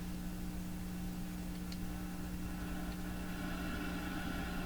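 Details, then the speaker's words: Canadian GE KL500 multiband tube radio, warmed up, volume turned down, no antenna: only a steady low hum with no station audio; voltage found on one side of the speaker coil but not the other. "Volume is right down right now. So, we're going to touch this. Yeah, just a hum."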